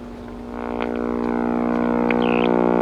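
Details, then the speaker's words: GE H 500 / H 500U AM tube radio, first power-up: loud steady low hum with a throbbing edge swells as the set warms up; bad filter capacitors suspected. "So wow, holy crap, have I actually run into one of these radios that had bad filter capacitors? I think so."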